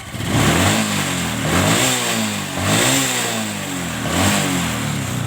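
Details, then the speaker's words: Motorcycle carburetor after the air screw was backed out and set for a proper idle: three quick throttle blips climb smoothly and drop straight back to a steady idle with no stumble; clean throttle response. "Oke kita setel bot anginnya ya kita setel seperti ini oke ini sudah pas langsamnya dapat kita geber gas"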